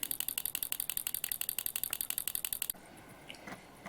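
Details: Vintage 1960s pulse-proportional model radio control actuator: quick, even ticking as it flaps back and forth for under three seconds, then it stops; it is working properly.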